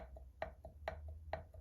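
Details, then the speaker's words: Land Rover turbo removed and on the bench: sharp metallic taps about four a second as the shaft is pushed in and out, about 1 mm axial play, far too much; worn thrust washer, shaft bearings also gone. "this this movement here is the thrust washer you can hear it tapping that's me moving the shaft backwards and forwards"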